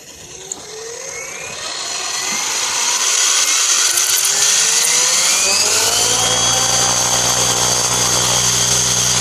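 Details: Align T-Rex 700E F3C electric RC helicopter on startup: motor spools up with a rising whine and harsh gritty rattle, apparently a worn motor pinion gear mount bearing; possibly also rubbing the canopy.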